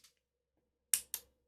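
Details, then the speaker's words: Hospital bed control board under repair, listening on a controller press: one sharp relay click, then another about a fifth of a second later. Only one relay switches and the others stay silent. "one click so we're still just getting that one relay going"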